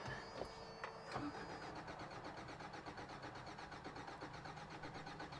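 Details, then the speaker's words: 1993 Toyota pickup, long parked (seller suspected timing chain or head gasket), first crank on a temporary battery: even cranking with good compression pulses but no firing at all. No start; a gooey, gross mixture found. "honestly doesn't sound terrible now I don't think it's necessarily going to start based on cranking over and hearing absolutely no trying to start"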